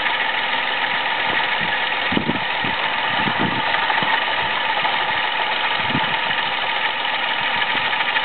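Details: Toyota Aygo at idle with worn-out water pump, noise at first only when cold, not warm, then increasingly frequent: steady hiss with irregular low knocks and rattles. Worn water pump, found by mechanic.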